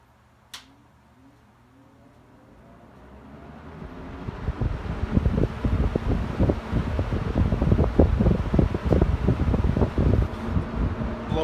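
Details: Mid-1970s EXL 7-bladed box fan, cleaned, motor washed and oiled, faulty switch replaced: spins up over a few seconds to a steady, even rush of air with light flutter on high. Normal running on high.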